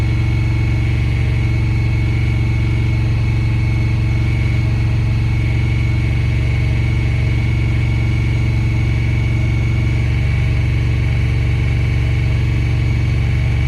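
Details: 2017 Honda Pioneer 1000-5 at 1200 miles, code 9-2. Loud, steady idle held high with a slightly uneven pulse of about four beats a second. Cause was factory over-crimped, internally broken wires at the IACV plug; plug replaced and recrimped.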